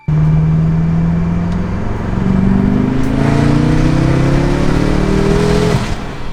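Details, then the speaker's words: Tuned BMW F10 M5 (S63) at wide open throttle: hard pull with climbing note, then brief dip and uneven surge as the torque limiter closes the throttle; inconsistent throttle and boost persisted after swapping MAF sensors. "The weirdest part is that if you listen closely, you can hear the inconsistency in throttle and boost during wide open throttle."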